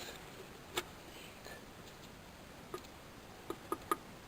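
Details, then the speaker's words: PCV valve pulled after running the engine at normal operating temperature, then shaken by hand with the engine off: a few faint, light clicks; the plunger rattles freely, so the valve is fine. "Turn off the engine and shake the PCV valve and listen to see if it rattles."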